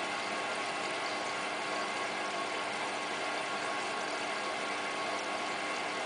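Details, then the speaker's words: Hotpoint Ultima WT960 washing machine, cottons 60 wash with about 7 kg mixed load; steady even hiss and rumble of the turning drum over smooth motor-bearing hum, no knocks or grinding, ordinary wash tumble. "you can now hear the motor bearings doing washy"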